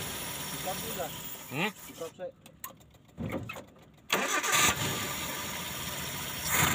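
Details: Suzuki Carry 1.5 (Futura) starter that only clicked while the solenoid still moved; the cause was a dirty armature. After cleaning, the starter spins the engine briskly, it fires and settles into a steady, healthy idle.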